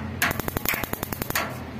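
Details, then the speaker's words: Instant gas geyser gas coil (solenoid) being tested with its sensor fitted on the hot-water pipe: a quick burst of about a dozen sharp, even ticks over a second, then quiet; normal igniter ticking, coil working. "यहाँ से gas जब ये magnet आपस में मतलब इसको current मिलता है तो इसका जो अंदर एक टिक्की होती है वो आपस में मतलब वो मैग्नेट कर लेता है तो गैस ऑन हो जाती है। आप अभी चेक कर सकते हो, ये आवाज आई अभी, एक गाड़ी टिक टिक की आ रही है, एक टिक की आती है खाली ये।"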